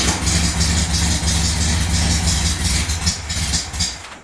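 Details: VW Beetle air-cooled engine after ignition switch repair, now starting on the key: steady even low rumble with no knocks or misses, running cleanly until shut off.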